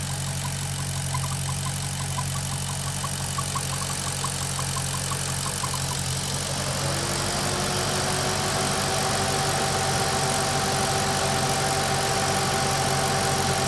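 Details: Maserati GranTurismo at warm idle, engine at operating temperature: steady idle with faint regular ticking about three beats a second and a thin tone; no noise when cold or with the oil dipstick pulled; source unknown.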